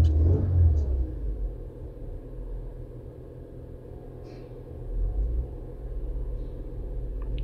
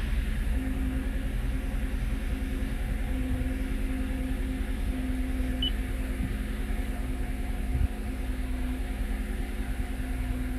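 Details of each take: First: 2022 Toyota Avalon with rough idle and random misfire traced to injectors: low rumble rises and settles smoothly through a brief rev, no stumble, firing even. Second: 2022 Toyota Avalon V6 restarted at about 1000 rpm after the intake manifold was refitted to see whether the misfire moves: a lumpy idle with an uneven pulse about three times a second and strong vibration. The misfire comes from a faulty fuel injector.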